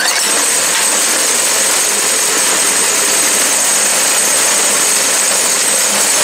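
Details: New Predator 212cc 6.5 hp engine on used snow blower, replacing 40-year-old engine with failed carburetor, blowing snow with auger: steady even high-pitched buzz, no misses or surges; working better than in three years.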